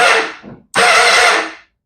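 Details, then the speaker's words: 2005 Honda CBR1000RR with a rebuilt motor, starter fitted by a mechanic, kill switch off, clutch in: the starter whirs freely with no compression pulses and the engine doesn't turn. Suspected starter clutch or starter fault. "Something's not properly connected. I didn't fit the starter. Starter was fitted by the mechanic. But that doesn't sound like the engine's turning."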